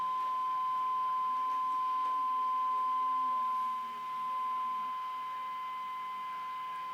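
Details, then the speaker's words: 1954 Regentone Auto 99 radiogram, aligning the coils underneath the chassis: steady, pure test whistle with faint hiss, already peaked and aligned spot on. "That's spot on. Yeah. Tell you what, this is pretty. So far, it's been spot on."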